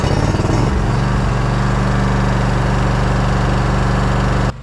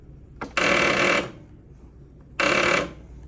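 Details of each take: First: Zero-turn riding mower that had clicked and would not crank, now fitted with a new battery and restarted after about an hour and a half of mowing: the engine fires up, runs with a steady low thrum, then cuts off. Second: Zero-turn riding mower bought in 2018, restarted after 1.5 hours of mowing; two bursts of rapid clicking chatter when the key is turned, engine never turns over; fixed by replacing the weak battery.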